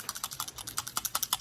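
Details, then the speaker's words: New PCV valve for a 1994 Chevrolet Silverado, shaken by hand: light crisp clicking rattle about ten clicks a second, showing the internal flap moves freely to open and shut; a good valve. "That means that valve is free, or the flap on it is free to open and shut."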